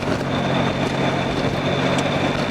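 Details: Nissan Z31 with a brand-new Z32 transmission, new engine harness and fuel system, first drive: steady engine and road drone with a faint thin whine under acceleration; transmission sounds bad, suspected transmission whine.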